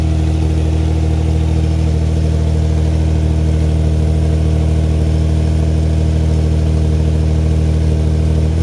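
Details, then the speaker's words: 1993 Mazda MX-3 1.8 V6 (K8), mostly stock with aftermarket exhaust, air filter missing: steady idle with a fast even clacking about three to four per second, louder as it warms; source undiagnosed. "you hear the noise that noise is kind of like a clacking R Ling down um once out I'll leave it for a minute we going to get warm it gets louder as it gets warmer"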